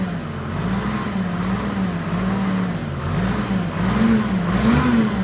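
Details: Detroit 3-53 two-stroke three-cylinder diesel in a padfoot roller, started after years sitting outdoors; throttle not yet figured out. Deep drone surging gently up and down but firing evenly; normal running.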